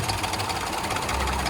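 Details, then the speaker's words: Range Rover L322 5.0L supercharged, first start after the battery was stone dead: loud, busy clatter with a slightly uneven beat at start-up before a rev; rough start-up, cause unclear, not that bad. "Uh-oh. Oh, it's not that bad. Rev it a little bit."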